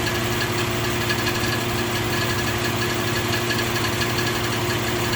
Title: 04 G35 ticking noise